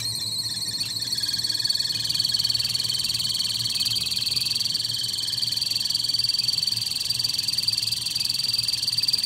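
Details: Kettle heating with part of it broken: uneven, frog-like croak repeating about four times a second over a thin high tone, abnormal for a kettle.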